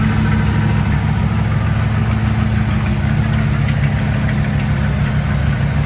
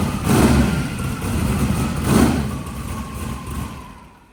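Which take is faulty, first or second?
first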